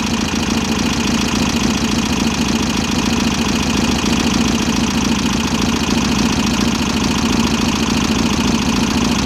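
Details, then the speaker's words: VW Type-3 Fastback air-cooled flat-four, just reinstalled after tightening loose cylinder heads, on a busy idle. A fast, light ticking rides steadily over it; the valves are maladjusted and need adjusting. "I do know that the valves are maladjusted, and I don't know why,"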